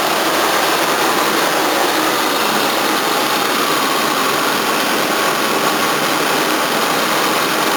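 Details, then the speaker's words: 1981 Toyota Corona RT132R, 18R-C engine, after tappet adjustment with larger valve gaps: fast, even idle with steady hiss, no stumbling, faint water pump whirr; runs much better, normal idle, bonnet no longer shaking. "Running so much better, a lot faster too. Still all I can hear is water pump. Much nicer."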